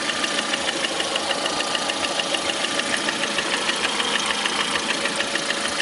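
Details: Lada Priora with 21126 engine at idle: sharp, steady, even metallic tapping about three per second; clear knock from inside the engine at idle.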